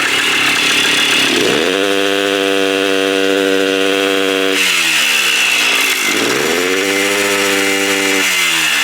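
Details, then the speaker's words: 1984 Kawasaki KDX80 two-stroke during restoration: raspy revs climb, hold briefly, then sag back, won't rev out cleanly; carburetor leaking at gasket; owner suspects clogged muffler. "Yeah, it sounds like the muffler's clogged."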